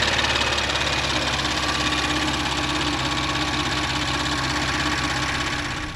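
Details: Audi S4 B9 3.0T V6 after precautionary rocker arm replacement, new oil and filter, warm: even steady idle, no ticking or knocking, fuel pump noise normal; healthy.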